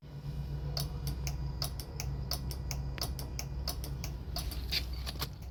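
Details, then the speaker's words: Mazda RX-8 on first start after converting back to naturally aspirated: quick uneven dry clicks, three or four a second, no cranking; starter not turning engine, owner suspects battery or starter. "Clicks, but nothing. So, I just put everything back to NA cuz I want to run it NA with all these hoses hooked up. Can you believe it? [ __ ] thing won't start."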